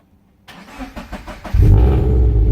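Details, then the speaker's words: Toyota 86 after dead battery replaced: several quick cranking pulses then engine catches cleanly and settles into firm even run; battery confirmed as cause, healthy start. "beautiful it is the battery thank goodness"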